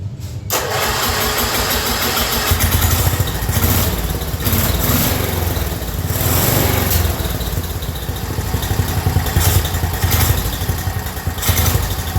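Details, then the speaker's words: Black Widow go-kart with 10HP Briggs single-cylinder, newly mounted, fuel leak stopped: cranks, catches and revs to full throttle, holding steady with no misses; running fine. "all right well I was able to get the engine running and then getting full throttle and I stopped that fuel leak"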